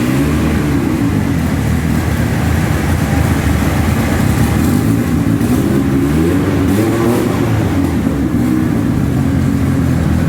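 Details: Scoff R5 GT making 963hp on the dyno, C85 fuel, 3.3 bar boost, GTX 4202 turbo; loud heavy roar under load with a rough uneven edge as revs build, misfiring under boost.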